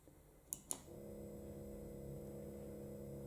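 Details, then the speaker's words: Stepper motor of a home-built lathe/mill power feed (Warco WM180), driven by a pulse modulator on a 24 V supply and run unmounted on a table: two sharp clicks, then a smooth, quiet, even hum; works properly. "This motor is that silent. When you pick it up, you can't hear it. It's only vibrating on the table."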